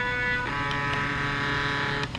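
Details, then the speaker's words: AutoDOD brass case machine, newer stepper controller at the same speed: loud steady high whine with stacked tones, about 85 dB, about 30 dB over; the slower speed is quieter. "85 you're talking you know 30 decibels over so if we run on the slower speed it got quieter"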